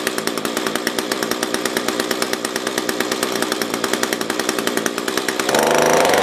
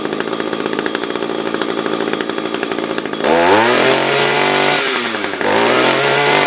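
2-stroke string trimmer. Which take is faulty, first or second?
first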